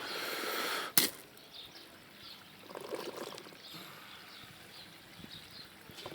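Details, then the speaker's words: Aquaponics CHOP system bell siphon failing to break: flow too high with valve left fully open, air not passing; splash then uneven gurgling and sucking bursts that never stop; owner plans to widen the bottom teeth and enlarge holes. "Voilà, on entend qu'il pompe. Et puis en fait, ouais, là, il n'était pas désamorcé."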